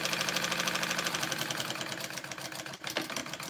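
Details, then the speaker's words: Machine running while sewing tote bag pieces. Rapid, fairly even clicking at about three per second, then it slows and stops. Speaker says it eventually gets stuck. "oh man i don't want to make that stop either"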